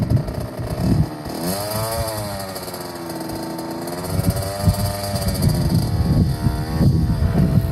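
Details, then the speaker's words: 2007 KTM 65SX two-stroke after top-end rebuild with a Vertex piston kit, heat cycled, ridden: buzz climbing and falling smoothly as throttle and clutch are worked, picking up cleanly each time; normal two-stroke running. "she's a runner max anything you want to say sounds great runs great you like riding it yeah on the trails it's fast bike"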